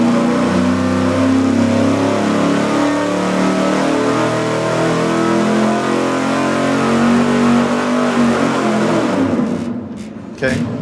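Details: Engine dyno full-throttle pull on a 750 CFM four-barrel carburetor after rejetting the secondary jet. The V8 climbs steadily for about nine seconds, clean and even with no stumble, then lifts off. Air-fuel ratio is up to 12.6:1.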